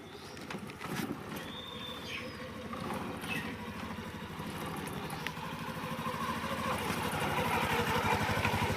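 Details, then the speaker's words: Splendor Plus BS6 motorcycle idling with the rear brake applied after cleaning and wheel refit; steady engine, no more of the earlier "shu shu" brake noise or squeal. "दोस्तों आप लोगों ने इसकी आवाज को सुन लिया कि दोस्तों अब पहले जैसे आवाज नहीं कर रहा है। तो दोस्तों हमारा प्रॉब्लम का सशन हो चुका है।"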